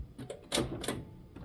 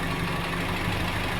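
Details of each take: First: Datsun, cold start around 5 degrees: cranks a couple of seconds, catches and settles into a lumpy, uneven idle that stays rough, running on fewer cylinders; loading up rich from worn carburetor. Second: Datsun with new carburetor, radiator and thermostat, partly warmed, choke eased and idle lowered to about 800 rpm: steady, even idle with no misses, knocks or vibration; runs smooth.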